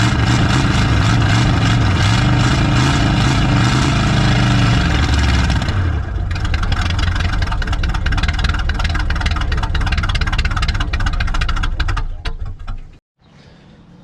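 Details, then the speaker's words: 1970 Chevy C30 V8 (owner thinks a 350 small block), parked up to 38 years, first run with a new battery: rough lumpy idle that settles into a steadier loping run while smoking heavily. Runs and sounds good. "holy crap and it sounds good too you see that that sounds good dude"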